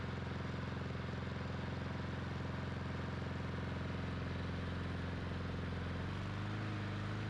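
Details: Lawn mower after carburetor work, started with a drill with the cover off. A small single-cylinder engine runs on at a steady, even beat and won't shut off when the bail is released; the plug wire had to be pulled to stop it.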